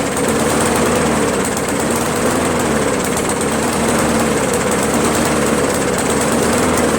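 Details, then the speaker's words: Briggs 158cc mower engine after a carburetor change: running flat out with a coarse, ragged buzz and no crisp note; poor running despite running great at first, cause unknown. "I'm a little perplexed as to why it ran so good in the beginning and then now all of a sudden it doesn't run that well you know it's a poor running engine now"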